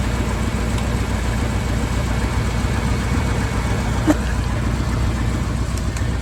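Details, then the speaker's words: 1978 Ford dump truck V8 after a suspected near-failure linked to Royal Purple oil: steady, low, quiet idle with soft even pulses and no knock or tick; engine sounds healthy. "Quiet as a mouse."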